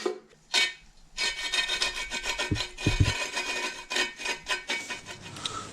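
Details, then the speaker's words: Minarelli AM6 moped balance shaft bearing spun by hand after long flushing with dishwashing liquid, water and WD: dry, scratchy rasping rising and falling with each spin; sand contamination still in the bearing, gasoline flush next. "then I sloshed and flushed them a very long time but still you can hear that there is something in"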